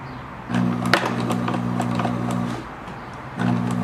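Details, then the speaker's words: 1974/75 Kenmore 1813 sewing machine jamming after the stitch width was shifted: motor hum in bursts with sharp clacks and labouring. The bobbin case has loosened enough to pop out on its own. "so this going to be one of those ones where the bobin case has gotten loose enough that it just pops on its own"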